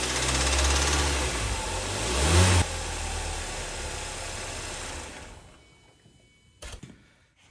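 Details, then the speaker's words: 2014 Kia 2.4L GDI four-cylinder, fresh oil change: held engine speed around 2,500 rpm carries a rapid metallic rod knock clatter that fades as revs drop; engine will eventually need replacing. "this is a GDI 2.4 L Kia and we're starting to get that uh rod knock rattle at about 22500 RPM so here's the noise"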